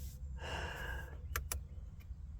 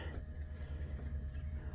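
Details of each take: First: 1988 Oldsmobile Cutlass Calais International, Quad 4 engine, key at accessory: power antenna mast motor gives a smooth electric whir of about two seconds, no grinding or stalling, running normally, though the antenna mast earlier seemed not to move. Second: 1988 Oldsmobile Cutlass Calais International, Quad 4, ignition on accessory: low droning motor hum pulsing several times a second with no mast travel; power antenna motor runs but mast doesn't move.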